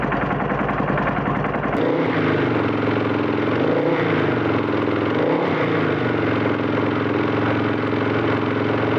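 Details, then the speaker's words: Husqvarna FE 501 cold-started on a new SSB lithium battery (240 cold cranking amps), on its first crank: brief starter churn, then the single catches first try and settles into a steady, even thumping idle. Normal cold start and idle. "happy days happy days one time first time cranking over it's never done that before amazing"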